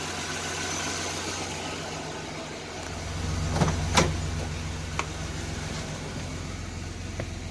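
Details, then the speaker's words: 1990 Chevrolet Lumina Eurosport 3.1 V6: idle stumbles with irregular pops, clears when revved, intermittent misfire; bad injector or fuel pressure regulator suspected, not confirmed. "there goes the misfire right here could have a bad injector still fuel pressure regulator because the way it misfires and clears up like that when you give it gas"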